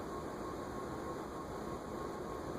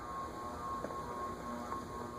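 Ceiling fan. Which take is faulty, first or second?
second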